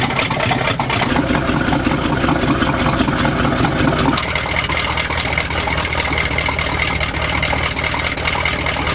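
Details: 1977 GMC truck with a 400 engine after a fix and cold start, warming up: deep, even V8 idle with a smooth, steady rumble and no misses or knocks; running healthy.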